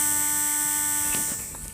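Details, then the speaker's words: JGY 370 12V brushed DC gear motor, 6 rpm version: steady quiet buzzing hum with thin high whine, no gear noise, all sound coming from the brushes; running normally. "यहां पर हम इस motor की आवाज सुन सकते हैं जो कि काफी कम है आई थिंक गियर्स के अंदर तो बिल्कुल भी कोई आवाज नहीं सिर्फ और सिर्फ यह मोटर का साउंड है"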